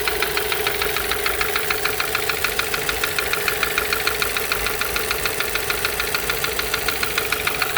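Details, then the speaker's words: MK5 VW Jetta GLI FSI that sat 3 years, running on a replacement cylinder head after a seized cam journal bearing: quick, even ticking over idle comes from the not fully bolted rocker cover; no bottom-end knock, otherwise only injector noise. "It's coming from the rocker cover. I didn't like fully bolt it down, so all that noise is coming from that. But yeah, no like bottom end noise."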